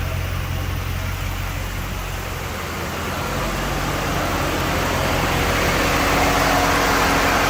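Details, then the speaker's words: Dodge Magnum SRT8 with replacement 6.1L Hemi after original blew at about 280,000 miles: steady even sewing-machine idle once vacuum line reconnected, slight surge because intake not yet fitted; engine sounds healthy. "but um I still got to put the intake on that's why it's surging a little bit but now it sounds like a sewing machine with that vacuum line on"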